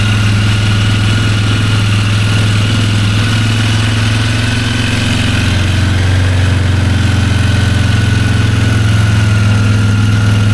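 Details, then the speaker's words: 2001 Polaris Sportsman 400 single-cylinder after oil change and reassembly, started on choke; steady, even low thumping that holds its speed with no misses or rattles, healthy idle needing only a slight idle adjustment. "Heat. Sounds great. Sorry guys, battery died there. So, as you can hear, just adjust the idle a little bit. Everything's working."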